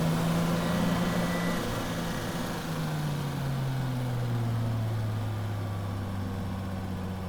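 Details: Drift car engine: low, steady drone slowly sagging in pitch with an uneven, stumbling beat underneath; misfiring at low revs.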